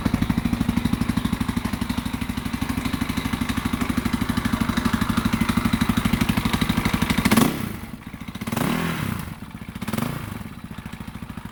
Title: KTM 520 EXC 2001 knocking noise